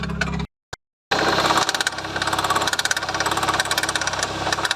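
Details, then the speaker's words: BMW E36 at idle: sharp metallic clacks three or four a second following engine speed, first thought to be the alternator; the damaged accessory belt tensioner is knocking. "du coup vous avez dû entendre le clac au début je pensais que c'était l'alternateur parce que j'ai vu que ça venait du niveau de l'alternateur"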